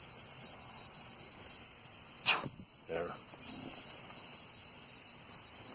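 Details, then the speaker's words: 1989 Toyota 3.0L V6 (3VZE) leakdown test at 100 psi: steady high-pitched air hiss from the PCV crankcase vent, air escaping past worn rings on every cylinder except number 5, which has a blown head gasket. "And you crank it up to 100, and you go, where are we leaking? This again is the rings. The PCV, the crankcase ventilation here. I can hear it."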